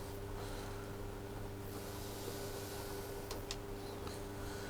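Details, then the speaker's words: White Knight tumble dryer motor (8 µF capacitor) running on the bench after rewiring (blue neutral, orange live): quiet, steady low hum with no rubbing or clicking; runs smoothly. "so it should start that's running pretty sweet"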